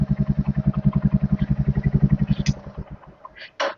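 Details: Royal Enfield Hunter 350 that would not self-start, fixed by installing a new battery (bad battery confirmed by multimeter; charging 13-14.3 V running): steady single-cylinder idle thump about 220 beats a minute, no knocks or ticks.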